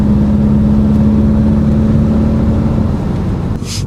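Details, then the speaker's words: Fully built Subaru WRX after retiming, logging normal first-to-fourth gear pull staying out of boost, with aftermarket blow-off valve: steady drone pulling smoothly under light throttle, no misses, knocks or hesitation; normal acceleration. "thing sounds so good with the tile BOV on it."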